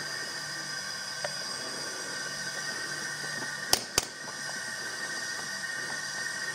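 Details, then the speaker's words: 2006 Suzuki Forenza after a timing belt breakage, leak-down test at TDC on compression, about 100 psi in and about 8 psi held (roughly 90–95% loss). A steady high hiss from the intake side with two clicks; a bent intake valve. "yeah we're losing lots of air here but the point is you can see that on this gauge right here you can see that we have about 8 PSI size so we're losing rough say 90 if this was 100 PSI over here we're losing 95 90 90 95% of our air is just blowing out"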